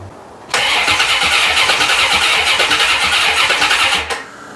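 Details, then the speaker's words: 1990 C4 Corvette, rebuilt after five years apart for a blown head gasket, no radiator fitted yet: starter turns the engine over about three turns a second for 3.5 seconds without catching; it only tries to start on starting fluid; fuel pump seized. "i got everything plugged in and it should start uh but it's just turning over and when i spray it with starting fluid it tries to start"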